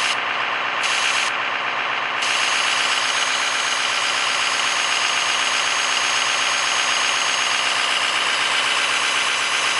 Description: A short video of my exhaust leak.